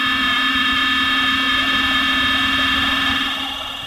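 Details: Computer gives an intermittent, steady high-pitched whirr near 2 kHz with a faint low hum; the owner doesn't believe it is the fans and can't pinpoint the source.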